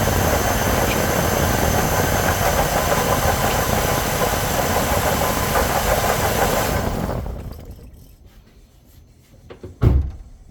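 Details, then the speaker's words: 2004 GMC Envoy, brought in for drive belt noise suspected from alternator: steady rough gritty rumble at idle, then shutoff; failed water pump bearing confirmed by play in the pulley, idler pulley bearing also bad. "Now, as you should have been able to hear, that is definitely bad bearings from the water pump, which we already know is bad because the amount of play in the pulley here."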